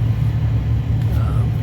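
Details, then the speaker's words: 2013 Ford F150 heater blower fan, quiet at speeds two and three. At step four a low drumming rumble starts because the blower wheel was pried about 1/32 inch off the motor base and vibrates. "Quiet now. Quiet in the second step. Third step, fourth step starts drumming."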